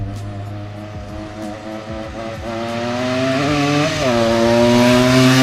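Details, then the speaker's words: 1979 Yamaha IT175 two-stroke dirt bike running factory jetting after carb work, ridden: buzzy chainsaw-like note climbing cleanly with throttle and holding a strong even pitch; runs well, owner notes slight midrange lag around quarter-to-half throttle. "that's right it's like riding a chainsaw sounds like a chainsaw"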